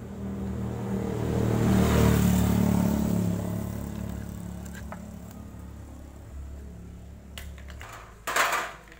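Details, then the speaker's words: Agricultural sprayer small two-stroke engine: blipped throttle gives a muffled, lumpy rise that sags back ("ngok") instead of revving cleanly; carburetor bog, a common sprayer-engine fault. "nah itu tadi ya kasusnya karburator kalau digas itu berbunyi ng terutama kasus seperti ini adalah paling sering terjadi di mesin semprot seperti ini ya"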